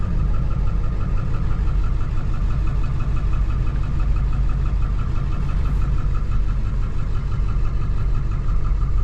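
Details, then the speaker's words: 2007 Ford F450 with swapped-in 7.3 Powerstroke diesel at idle, check engine light on, cylinder 5 flagged. Faint, slightly uneven lope about twice a second, barely perceptible shake. Single-cylinder misfire traced to the passenger-side under valve cover harness. "You can just barely make it out, you know. It's got that little bit of shake. It's running good, but definitely got a shake."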